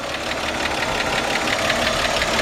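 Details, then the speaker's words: 1953 Chevrolet 210 sedan, straight-six, 6-volt system: quiet, even idle with a light steady clatter, no uneven beat or distinct knock; smooth, healthy running. "just a quiet, smooth running. These engines are just bulletproof."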